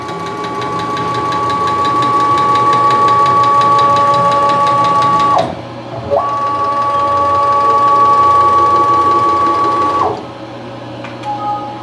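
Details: PM-727M CNC-converted mill axis traversing: steady servo whine with a light regular click about three times a second from the shifting axis motor coupling insert, not bearings or ball screw lubrication; also appearing on Y axis.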